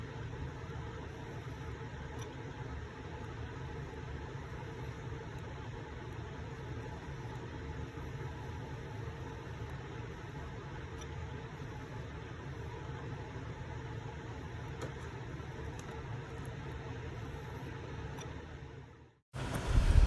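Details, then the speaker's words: MSI laptop stuck on the startup loading screen, failing to boot, gives off a steady low whir and hum. The owner also describes beeping noises. "and then it just be making this noise hear this it's making these beeping noises"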